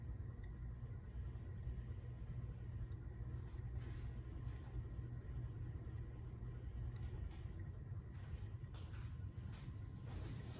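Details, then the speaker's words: Old Minka Aire Napoli ceiling fan, previously had noise issues that were fixed, started on high speed; very soft airy whoosh over a faint low hum with no rubbing, ticking or wobble, normal quiet running. "It's a soft sounding fan. I mean, very, very soft sounding."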